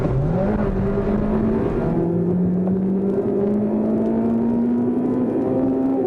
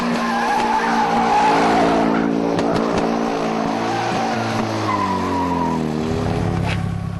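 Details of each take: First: Honda Type R 2-litre i-VTEC engine revving to about 8,000 rpm, changing onto high cam lobes around 5,800: smooth, clean note climbs steadily, dips at a gear change, then pulls hard again; healthy. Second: Drag car doing a burnout: under load the engine note stumbles and breaks up unevenly over tire squeal; misfire, and pulled spark plugs show two tips almost entirely melted away.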